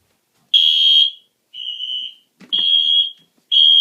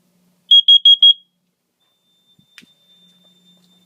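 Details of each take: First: there you might be able to hear the panel beeping downstairs too Second: Carbon monoxide detector tested by pressing its button (no CO spray): four quick shrill chirps, panel set to a latching supervisory signal rather than a full alarm.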